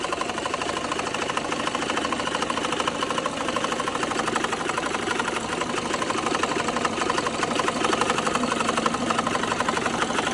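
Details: BMW N54 petrol engine idling with a fast, steady mechanical ticking/knocking, about four a second, over a busy whir; remains after replacing cylinder 1 injector cured a misfire; no check engine light; cause unknown.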